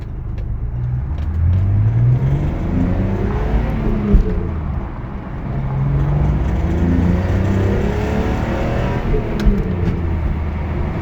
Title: E46 M3 Rattling Noise Acceleration